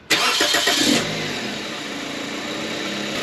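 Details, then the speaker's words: 2005 Toyota Corolla 1.8L after alternator replacement for battery light staying on, battery reconnected: short crank, quick catch, then settled even idle with no squeal or whine; normal engine start. "Well, everything sounds good."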